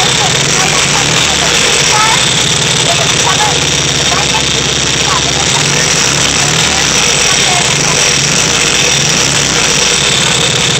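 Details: VW Type 3 1600 cc single-port engine, first start after rebuild: even, steady idle with busy air-cooled clatter and fan rush on top, no knocks or misses; normal idle.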